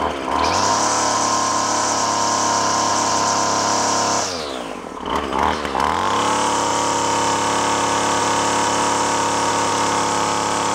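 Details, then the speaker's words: Craftsman two-stroke string trimmer found discarded, running at full throttle: screaming with a rough, burbling edge, four-stroking heavily from a rich high-speed mixture, so it might be leaned out. "so I might be able to go a little bit leaner now on the high side cuz you can hear how much it's four stroking"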